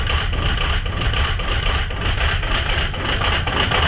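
Rough, lumpy cold diesel idle with uneven knocks about once a second under the clatter, pointing to faulty injectors.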